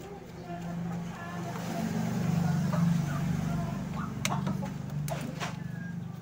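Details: Sharp Gigawash Jr washing machine, pulley turned by hand; low rough grinding growl with uneven churning; water had entered the gearcase and blackened its grease, worn gearcase needing replacement.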